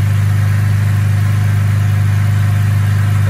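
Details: Holden Commodore VZ 6-cylinder, no-crank fault from ECU not grounding the starter relay, just started by manually activating the relay: steady, even low idle with smooth pulse, no misses or knocks; normal idle.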